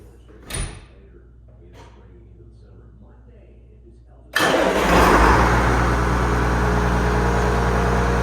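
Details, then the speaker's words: Warm engine restarted after the negative battery terminal and wire were cleaned to fix a no-start. It catches immediately and settles into a steady, even idle, a healthy start. "up okay she starts well"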